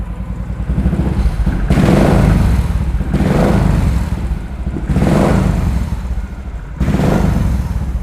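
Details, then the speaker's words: 500cc motorcycle, stock engine with re-set-up exhaust from header to silencer: revving produces deep, bassy blips rising and falling about every 1.5 seconds, clean and even, louder and bassier than the quiet idle; normal revving. "ketika digeber, dia suaranya semakin keras, semakin ngebasnya keluar, semakin enak di telinga didengarnya."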